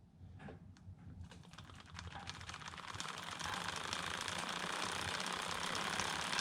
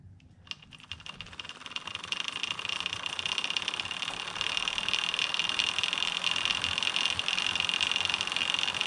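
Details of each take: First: Homemade short-wheelbase bike on the 11 rear and 39 front sprockets, idler without the chain keeper, mic one hand length away: the chain whirs up to speed with light, even ticking. A smooth, fairly quiet drivetrain. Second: Homemade short-wheelbase bike drivetrain spun by hand with HDPE chain keeper fitted near idler: fast dense chain clatter and bright metallic hiss, about 10 dB louder than without keeper; loud chain idler noise.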